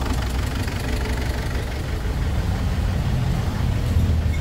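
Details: Ford Everest diesel smoking after another shop replaced the valve cover gasket: lumpy, uneven idle with recurring stumble; pulling injector number two brings no change, indicating a dead-cylinder misfire.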